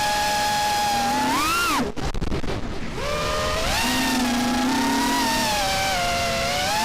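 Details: RDQ 2205 2450kv brushless motors on a quad that flies well: several high whining tones rise and fall together with throttle, one clear motor whine with an odd extra tone in playback; cause not evident.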